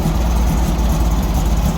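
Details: 1964 VW Beetle engine, slightly cold, after fitting a brand-new coil to chase a backfire: steady, low, even idle with a regular beat, all four cylinders firing cleanly, no pops or misses; problem solved by the swap.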